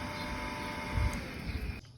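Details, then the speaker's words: Centrifugal water pump after repair for noisy running, with motor bearings replaced plus seal and key refitted: steady smooth hum, faint even whine, no grinding or rattle, much softer than before; normal pump running. "ความแตกต่างครับอันนี้ก่อนทำนะครับอันนี้หลังทำนะครับเสียงนิ่มขึ้นเยอะเลยนะครับ"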